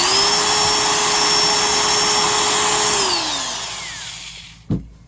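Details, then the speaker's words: Drill that sounds fine but is more high strung: clean steady high-pitched whine at even speed, smooth coast-down after trigger release; normal running. "Here's the sound of this once again. And we'll listen to how high strung. This one sounds fine, but it is more high strung."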